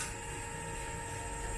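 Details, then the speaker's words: E-bike upgraded from 350W to 1200W motor, running at fastest speed setting, not yet road-tested: steady high electric whine at one pitch, no grinding or clicking; motor spinning freely and healthy. "Yeah, the motor is strong, but I'm not yet test it yet."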